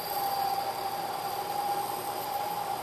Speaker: you can hear the noise the chatter and if you look closely you can see a very irregular surface finish what's happening is due the deflection of the part